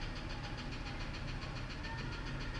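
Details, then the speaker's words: F-150 with 180,000 miles, idle: fast even ticking knock over low rumble, getting louder; valve train suspected but unconfirmed; replacement engine recommended; engine knock at idle. "I think it's just better off putting a motor in it and it's it's getting louder and louder"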